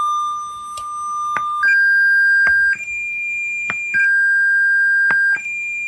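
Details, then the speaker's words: Double Dragon JAMMA arcade board with no sound: 1.2 kHz signal generator tone fed into the sound amplifier input plays cleanly through the speakers, no hum, crackle or distortion; the amplifier works and the fault lies upstream in the sound circuitry. "okay so as you can hear the one point two kilo head signals our code to the speakers so the m50 working phone"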